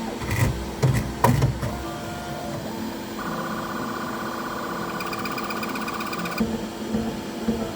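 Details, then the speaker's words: Bambu Lab P1S 3D printer doing its pre-print resonance calibration passes with the bed and extruder head: irregular buzzing and a steady mid tone, which is normal calibration noise and nothing wrong. "Calibration before every print will also make some noise. When the nozzle wipe on the poop door area, when the bed and extruder head is doing some resonation calibration passes, you will hear noise like this. And this."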